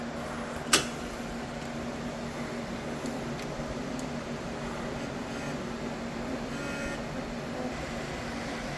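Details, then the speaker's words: Ace Pro filament unit slot 3 purging, where it had been noisy before. A quiet, steady motor hum with only a couple of light clicks and no clunking: normal feeding and purge. "Okay. So, through the parts change and printing, it looks like three now is no longer making that noise. I don't know if it's settled down. It's flowing well."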